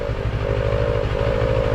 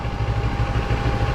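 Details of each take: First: Motorcycle at idle: steady mid-pitched buzz over engine pulses from the TFT dash cowl bracket vibrating; buzz appears when the two bracket screws are tightened, stops when loosened; dashboard cowl vibration buzz. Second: Motorcycle at idle with the TFT dash cowl bracket screws backed off and elastic added: an even engine thump with no cowl rattle or buzz. The vibration fix is working.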